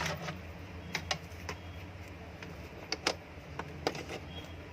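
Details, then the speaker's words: Laser-brand kitchen exhaust fan, single-phase AC 230 V 50 Hz motor, 1300 rpm, 2 µF capacitor, before repair: low steady hum with uneven rattling ticks; motor bearings worn and need replacing. "शायद आपको सुनाई दे रहा है। ये देखिए, काफ़ी ज़्यादा साउंड आ रही है।"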